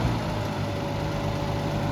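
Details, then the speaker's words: Gas Oliver Super 77 tractor idling; steady, slightly lumpy heavy note, no knocks, engine running rich. "so anyways we will update you later yeah it runs well rich"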